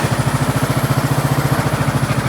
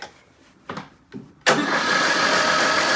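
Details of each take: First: 2003 Craftsman LT2000 hydrostatic mower, 18.5 hp Briggs & Stratton Intek, revived after water in the intake and seat-sensor fix: even, steady thumping about ten pulses a second, no misses or knocks; running smoothly. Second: 2003 Craftsman LT2000 mower with 18.5 hp Briggs & Stratton Intek, water in intake, carburetor removed and dirty, on jump pack: steady starter cranking, three to four turns a second for six seconds, no firing. Cranks but does not start.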